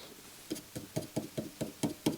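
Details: NAD C541 CD player after recapping and op-amp replacement, under repair: soft even knocks about four to five per second from the mechanism; cause unknown, 7032 IC next to be replaced.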